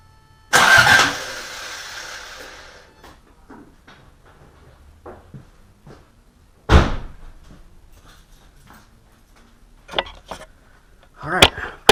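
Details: Rebuilt Toyota Corolla after fitting a new ground strap: short bursts of quick, even cranking between quiet gaps, starter spinning the engine strongly and cleanly; normal cranking before first startup.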